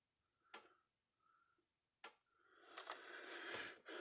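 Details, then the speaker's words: Patriot SG155 Solar Guard solar fence charger, 0.15 joule output, on test: sharp, not very loud single clicks about every 1.5 seconds, evenly spaced, then handling rustle; normal pulsing, with output measured at 10.3 on the meter. "that's what's supposed to do it's not very loud these aren't loud units not stout units either but for what they're designed to do i'm gonna put a pretty decent little charge for a 0.15 joule unit output"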